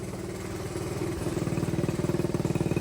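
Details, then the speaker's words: Pit bike/dirt bike carburetor after air/fuel (pilot) screw adjustment: even, steady putter at idle with regular pulses and no misses or clatter. Normal smooth idle. "it's way smoother, sounds good, sounds healthy."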